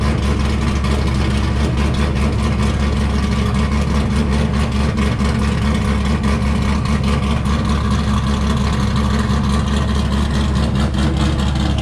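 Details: C5 Corvette Z06 with forged 408 stroker and larger-than-stock cam, tuned, no catalytic converters: deep, loping V8 idle with a steady choppy beat, even and smooth, no knocks or misses.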